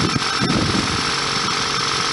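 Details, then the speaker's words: 1999 Toyota Celica ZZT231, engine reportedly warm, holding a fast steady idle with background hiss after cold air intake holes were sealed and pod filter changed; idle too high, owner wants 800–1000 rpm and suspects MAF sensor. "it's still idling too high for an engine that's apparently supposed to be warmed up I shouldn't really be revving it until that idle goes down to 800 or a thousand at least"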